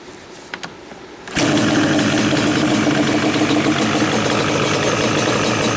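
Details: Yamaha Banshee two-stroke twin, carbs just synchronized with a sync tool, airbox removed and pods fitted: cranks and catches at once, then settles into a steady, even idle with no misses or knocks. Running healthy.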